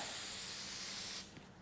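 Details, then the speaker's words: TensorGrip adhesive spray gun held about 100 mm from the surface: one unbroken hiss over a second then cut off; trigger held continuously instead of stop-start, leaving a thicker glue layer at the end of each run. "what you're getting is a thicker layer of glue at the end of each run"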